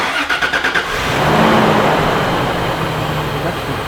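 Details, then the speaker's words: Used TRD supercharger just fitted to a Toyota Tacoma, first start and wide-open rev: loose metallic rattle and knock over the run; seller said it needed a rebuild; cause unconfirmed, some supercharger noise noted. "feel the power cranking on yeah that's wide open it doesn't sound good what is rattle"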